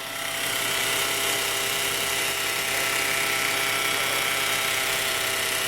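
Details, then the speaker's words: 2017 Peugeot 208 1.2 three-cylinder, noise started quiet and grew louder over time: loud steady high whine from the front of the engine at idle. "A impressão que dá, o barulho está muito forte aqui na região frontal do motor."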